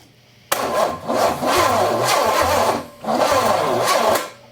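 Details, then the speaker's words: Engine with a swapped-on Quadrajet carburetor, cranked with a thumb over the plug hole while that cylinder was wet with fuel: two cranking bursts spinning too freely, never catching, with no compression push. The owner suspects a stuck valve. "okay I've got other problems uh either I've got a valve stuck or something else is going on that should have popped my thumb off"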